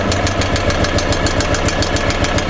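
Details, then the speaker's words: Old, worn golf cart engine after head gasket and top-end work to cure compression loss, air leak now gone: steady idle with quick even light ticking, about six or seven per second, attributed to tired valve gear; head gasket seems fixed. "A bit of valve noise, but uh the thing's old and it's wore out. That's to be expected."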